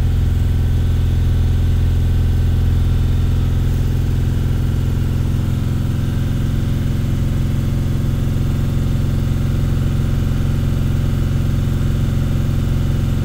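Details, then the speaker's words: T1N Sprinter diesel after injector carbon-leak (black death) repair, after 5 minutes at operating temperature: deep, steady warm idle that drops low and lazy but holds without stalling; running normally. "many all right 5 minutes of running at operating temperature I'm going to shut her down"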